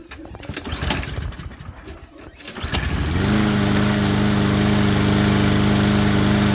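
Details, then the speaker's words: Craftsman lawnmower that sat unused in a backyard and would not start because its carburetor jet was clogged; after the jet was replaced it catches on about the fourth pull and settles into a steady, even drone: running properly. "the fuel is not going through and that's why it didn't start and here we get it started on like the fourth"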